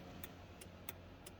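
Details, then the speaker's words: 1996-2000 truck's turn-signal flasher, first test after repairing and reinstalling the multifunction switch with the battery reconnected: crisp paired ticks at about one and a half flashes per second over a faint hum, cycling normally. "you can hear it clicking you can see there on the back"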